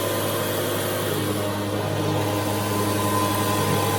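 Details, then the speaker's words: High-pressure airgun compressor (rated to 4,500 psi) pumping near 4,000 psi: steady, even pumping hum at about four strokes a second, no knocks or rattles; must be stopped or it will keep pumping and damage itself; normal running. "This particular unit will go up to 4,500 psi. Because it will keep pumping and you will damage this compressor."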